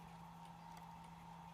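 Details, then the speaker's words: Traxxas RC car, motor refitted after receiver swap, setting pinion-to-spur spacing: faint light ticks about every third of a second over a quiet hum; a tiny noise meaning the gear mesh spacing is right. "and when you hear that little tiny noise, that means that's the right spacing."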